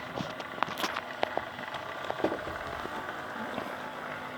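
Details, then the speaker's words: Mehano SD40 OO gauge locomotive with an open-frame motor, long unused with a stuck brush, after the motor was fully stripped and cleaned. It runs slowly, whirring with an uneven crackle and sharp clicks instead of a smooth hum: a noisy motor. "it'll run slowly it's just so noisy i like my lockers to be nice and smooth and quiet so this one as i guessed will probably just be a static display i wouldn't run this with this noise it's not very nice at all"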